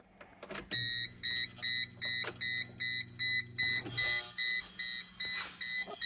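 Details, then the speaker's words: Geo Tracker after a 5-speed manual swap, key on with a mismatched computer fitted: a high, pulsing electrical buzz from under the dash, about 2.5 bursts a second, that goes haywire when accessories are switched on; engine won't start. "can hear it buzzing again, and if I turn on these, it goes haywire."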